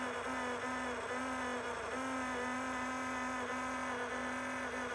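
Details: Enermax Liqmax III CPU liquid cooler on a non-overclocked Intel 10600k, failed after 9 months: loud, steady buzzing whine near 250 Hz with a wavering edge; the pump is failing.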